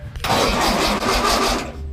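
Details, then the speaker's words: 1970 Trophy Cars dune buggy with an old starter, sat for a few years, cranked during a compression test: slow, labored cranking for about a second and a half with no firing; starter dragging badly, mechanic suspects bad starter bushings, unconfirmed. "yeah all right you only got one cylinder checked on the compression test and the starter is sounds like crap and it's dragging really bad rick he pointed it out that sounds like the bushings bad in it"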